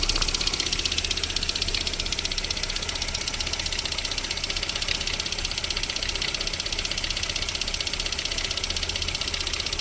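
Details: VAZ 21127 engine at light idle while cold and warming up, with a sharp, regular ticking knock about three times a second; it disappears once the engine reaches about 40 degrees, cause not pinned down.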